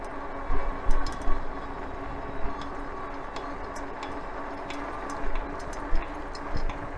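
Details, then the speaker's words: Ecotric 48V 500 W fat-tire electric bike while riding: sharp, uneven clicks over wind and road noise every time the rider pedals, quiet when pedaling stops; drivetrain click of unknown cause. "yeah i'm sure you can hear it clicking every time i pedal when i stop it's quiet"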